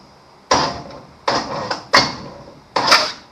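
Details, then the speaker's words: 1953 Chevrolet Bel Air rat rod, small block Chevy V8, plug removed, finger over the hole, starter tapped: four sharp puffs of air, a strong compression-stroke whoosh, before setting top dead center. "You heard that big old whoosh? That is on the compression stroke."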